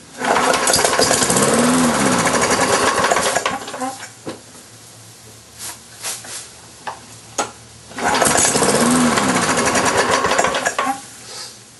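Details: Briggs & Stratton engine on a Lawn-Boy mower deck, sat unused since about March, 89-octane fuel with Marvel Mystery Oil: repeated pull-cord cranking chatter that never catches; hard starting, owner suspects the carburetor needs a new diaphragm.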